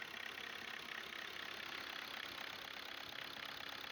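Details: VW Golf 6 1.6 petrol (CAYC/CAYB engine) idling with a sharp, regular injector clicking, about three to four a second. The fix shown is an ECU software update with an FRF file.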